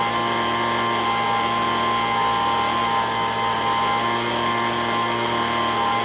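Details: Echo ES-210 handheld two-stroke blower, about 20 years old, after surging repair: steady high buzz holding one pitch at full throttle, smooth, with no hunting. Tach 7,100 RPM (recommended 7,000–9,000). Normal full-throttle run.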